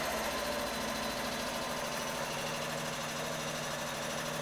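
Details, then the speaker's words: Triumph Herald 13/60 engine, cold start, idling on choke, temperature barely above first cold mark: fast, even patter with no misses or knocks; choke works fine, engine sounds good. "choke works fine you generally it's actually a you know a good little good little [Applause] engine"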